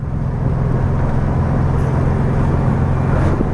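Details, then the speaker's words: 1969 VW Beetle, fire-damaged revival, on its first drive back on the road: a steady deep exhaust rumble typical of this exhaust over even road noise, with no knocks or rattles. The chassis feels good and the transmission shifts fine; normal driving. "And if you can tell by my bounciness, uh, the car is actually quiet. Yes, there's a bit of a, you know, obviously with this exhaust in it, there's a bit of a, uh, rumble."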